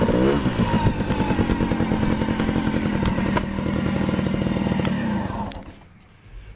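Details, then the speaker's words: Honda Cub EZ90 two-stroke, a museum bike on display for years and barely ridden, now on a substitute battery, started right up. On a test ride the buzzy drone picks up, holds steady, then fades as it rides away, pulling cleanly with no misfiring. Normal running. "that's the most i've ever ridden it but it really goes good"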